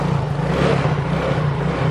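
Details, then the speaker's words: Injected automatic scooter that stalls when moved off its stand, turned or over potholes; on the stand after kick start, a short burst of even drone rising with throttle, smooth without stumbling, revving fine. "nah gini hidup yo motor langsung hidup digas enak Ya udah seenaknya nggak ada masalah"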